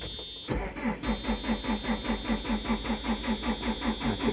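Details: JCB 4CX Tier 4: starter churns steadily at about two and a half compression pulses a second, engine never fires; cranks but won't start.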